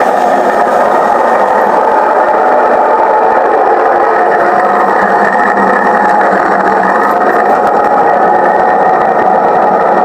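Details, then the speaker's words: LG front-load washing machine, steady gritty roar from the spinning drum with no knocks or rhythm, constant rumbling wear noise: worn bearings fitted in the drum hub. "அது என்ன sound கேட்டிங்கன்னா வந்து பேரிங்கோட sound, அதாவது வந்து ட்ரம்முடைய ஹப்பில் வந்து bearing ஃபிட்டாக இருக்கும் அதோட சவுண்டு."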